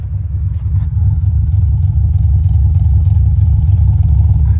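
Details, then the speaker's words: Idle of an Audi with all-wheel drive: deep, lumpy, uneven pulse about three beats a second; seller claims it skipped timing and sent a shop receipt, unconfirmed. "this how I could skip timing I have no idea it's what he says"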